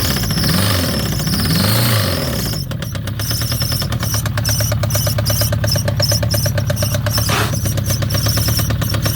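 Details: Citroën ZX 1.9 engine starting: catches after a brief crank and idles with a hard, rapid, even knocking over a low drone; engine knock.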